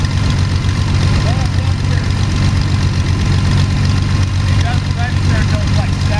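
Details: Sonex homebuilt aircraft, Jabiru 3300 six-cylinder engine with Rotec TBI, about 50 hours, first engine start after throttle set a quarter inch and mixture full rich; oil pressure 42, EGTs 700-800F; deep even idle rumble, steady firing, no knocks, sounds really good.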